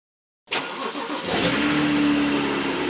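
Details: N54 engine misfiring at idle, logged with an IPNA video log: it catches and settles into an uneven idle with an irregular stumble in the exhaust beat.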